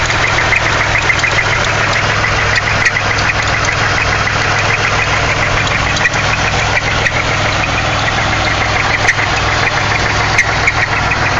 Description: This is a video of my engine with a confirmed rod knock, (1998 Pontiac Grand Prix GT) just posting it up to help people diagnose their own problems.